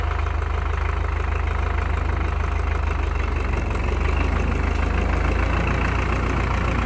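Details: Belarus MTZ-82 water-cooled diesel tractor just fired after a night below -25°C (-13°F): rough, clattery idle with steady low pulse and slight unevenness, oil still thick.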